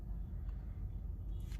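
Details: 2017 Honda Accord EX during an Autel AP200 injector-stop cylinder drop test, with a cylinder restored and RPM back up: quiet, even low rumble with no dips. All cylinders firing, normal idle.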